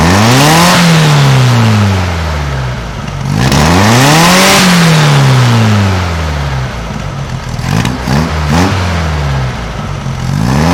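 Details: 1956 VW Beetle flat-four with brand new carburetor, after valve readjustment to 0.006in: clean repeated blips, revs climbing and dropping back to steady idle, no clatter or misfire; normal running engine.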